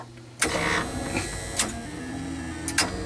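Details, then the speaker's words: Betson claw machine running a complete game cycle as the claw drops: sharp separate relay clicks about a second apart over a low steady hum, relays under the board label firing normally. "now I'm going to drop the [Applause] claw and what you're hearing are all of these relays which are underneath this label firing as needed"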